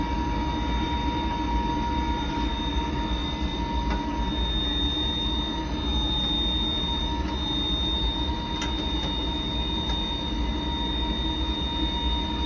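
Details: Riello 40 F5 oil burner running: constant high-pitched squeal over the even burner roar, pitch unchanging; owner suspects the sealed, non-lubricable motor bearing; motor squeal.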